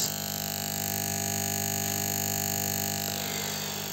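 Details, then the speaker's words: Steady, loud mains hum with a buzzy edge from a 1.2 kV spot welding transformer under test, caused by small gaps between the core lamination plates vibrating as the core magnetizes. "okay and the reason of uh this humming noise from this uh Transformer is because uh we have uh these minor spaces between each of these plates and uh since there's uh this magnetization of this core so the two plates are just uh vibrating uh at its place"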